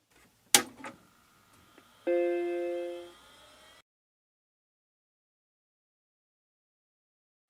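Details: Recapped, cleaned Macintosh Classic II powering up off its internal hard drive: a sharp click, then one clean, steady startup chord that fades; normal boot. Floppy drive not yet serviced.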